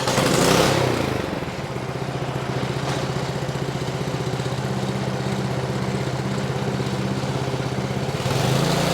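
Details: Ariens Platinum 24 snowblower, Briggs & Stratton 15C134 type 2143-F8, after carburetor replacement (old one went bad from disuse), throttle about half: steady, even beat near four pulses a second, no misses or surging, healthy.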